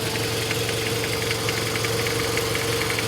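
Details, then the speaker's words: Toyota RAV4 idling after sitting a month: quick, steady metallic tapping that sounds exactly like piston slap, actually a failed cheap belt tensioner. "don't know if you can hear that but i mean it sounds like a toasted motor exactly like piston slap"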